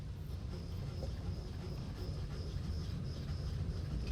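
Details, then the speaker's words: October 2012 Toyota Aqua: faint high rhythmic "kyu-kyu" squeak about twice a second. At first it was heard with the accelerator off and stopped on accelerating; it later sounded under acceleration too. Source not pinned down. "キュッキュッキュッキュッキュッキュッに近いような音がします。"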